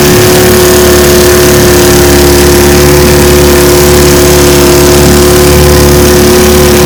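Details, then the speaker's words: Restored 1950 Johnson TN-28 5 HP outboard pushing a 14 ft 1957 Feathercraft about 10 mph on bayou test run: steady, high buzzing two-stroke drone under load without stumbling or surging; running well. "so as you can see she's a beauty pushes my 14 foot 1957 feathercraft about 10 miles an hour it's pretty awesome"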